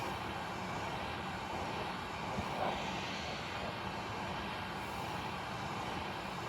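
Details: Hot air rework station at airflow 7 and 400 temperature, passing slowly over the chips to reflow a PS3 Slim that had failed: steady, even rushing air with no surging or rattle; the blower runs normally at high flow.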